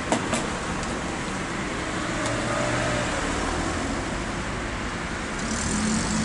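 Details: Elmos two-stroke trimmer after cleaning a carbon-clogged muffler and exhaust port (was hard to start and lacked power): steady, even running at a settled idle with no surging or dropouts; engine working normally.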